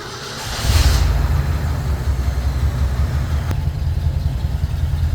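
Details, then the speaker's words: Ford F100 with FE V8 after starter replacement, sat a while, started with starting fluid and choke on a hot day: brief crank then catches and settles into steady even low rumble; normal start. "Okay, we're back in business. Take off the choke a little bit. Give it some gas."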